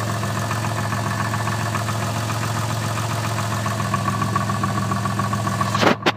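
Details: Twin-turbo Toyota Supra at steady idle: a light even tapping that keeps time with engine speed over a low hum. Piston slap is suspected, not confirmed.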